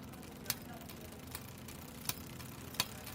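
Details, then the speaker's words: Little-ridden bicycle with electronic shifting: sharp irregular chain clicks over drivetrain whir on the smallest rear cogs, silent in the middle gears; limit or tension screws are suspected. "我今天这辆自行车也是的，不怎么骑，但是中间档位不响，然后换到小飞的时候它就响。"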